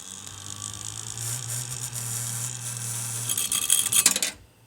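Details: RTX 2080 Ti graphics card: steady low hum under a high hiss from the cooler while the fan is not turning, then a rattling clatter before it cuts out; faulty fan.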